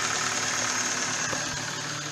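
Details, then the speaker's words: Hyundai i30 1.6 16v, 140,000 km, after a faulty timing chain tensioner caused a jumped chain and was fixed: steady even idle, no tapping, rattle or stumble, revs holding; runs very nicely. "No i teraz musimy się z właścicielem auta zastanowić czy jest sens właśnie wyrzucać ten cały zestaw który ktoś tutaj włożył i ma teraz chodzi bardzo ładnie czy po prostu wymieniamy całość"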